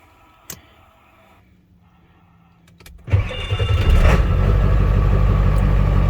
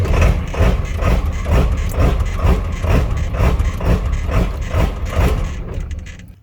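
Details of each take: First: Ford truck that had a very rough, jumping idle at about 70 degrees, tuner switched off, after a cheap simple fix: cranks, catches after about three seconds and settles into a steady even idle with no surging or hunting. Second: Ford truck on a normal morning around 70 degrees: idle surges up and down about twice a second in an uneven lumpy rhythm; rough hunting idle, later addressed by installing a new part underneath the truck.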